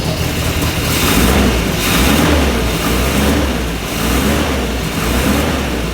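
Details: 1967 Morgan Plus 4 Drop Head Coupe just started after years unused, running old fuel; uneven, lumpy, wavering idle, about one sag per second, keeps running; rough running.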